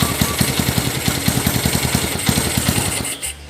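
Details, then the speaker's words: Honda GL100 with AC CDI, 4-wire ignition switch install: single cylinder popping at quick idle then stopping abruptly as the ignition switch wire from the CDI is connected to body ground; engine shut-off via kill wire. "ini motor akan mati ini sambungan ke b itu motor akan mati karena ini kunci kontak kalau mau matikan itu ya Disambung ke b motor enggak bakalan nyala"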